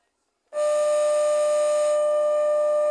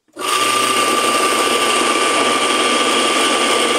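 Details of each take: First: Washing machine motor after repairing melted wiring, powered up on test: steady mid-pitched hum for about 2.5 seconds without turning. It won't start because no capacitor is fitted yet. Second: Washing machine motor rebuilt after a melted wire, bench-tested after repair: a steady, strong, even whine at constant speed for about ten seconds with no rubbing or stumbling; motor runs normally with good speed.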